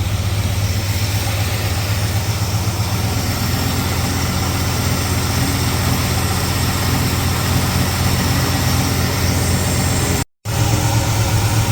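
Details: Ford Falcon V8 on a Sniper fuel setup, cold start after swapping plug wires 7 and 8, which were on the wrong way. Steady V8 idle near 1,000 rpm with smooth rumble and no knocks, smoke lessening; healthy cold-start idle.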